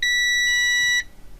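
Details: Cambridge Audio Minx Air 100 wireless speaker with no-power fault, probing the relay driver circuit: one clean steady high-pitched meter beep about a second long, then quiet; continuity found, connection good.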